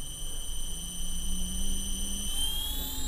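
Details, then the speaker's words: Castle Creations Cobra 10A ESC bench test with a sensored motor at low speed in startup mode: thin steady high-pitched controller whine over a soft motor hum that climbs slightly; normal PWM switching noise. "we'll blast past that so there is some switching"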